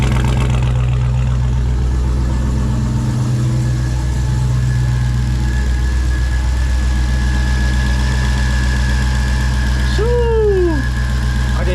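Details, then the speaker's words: Supercharged V8 on E85, first start in months after reinstall, ported blower: steady low idle with faint constant high whistle; normal small blower whine at idle, oil pressure and AFR good. "Ported blower whistling already. On idle, that ported blower makes a whine. Very small whine, but on idle."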